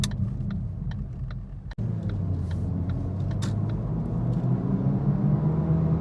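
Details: 2013 Ford Focus at road speed: heavy, steady low hum droning through the cabin under tyre noise, caused by a bad left-front wheel bearing, confirmed and replaced.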